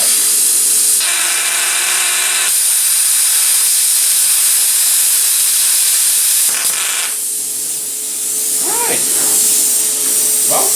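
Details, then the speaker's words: Cheap eBay plasma cutter cutting aluminum by a first-time user; loud hiss cutting out and restarting with sputtering chirps, messy unstable cut. "cut aluminum that's fine i am butchering it i'm sure everybody out there in interland going to tell me what i'm doing wrong"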